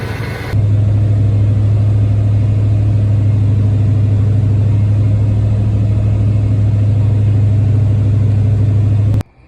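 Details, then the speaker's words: Ford OBS truck after new 195° thermostat install, warmed to operating temperature, gauge peaked about 200 then settled around 180–190: engine holds a deep steady hum with no knocks, misses or squeals, no coolant leaks; healthy. "So as you can see, I got the truck up to the temperature. I feel the hot water running through that pipe right now. I got no leaks. Everything's looking good."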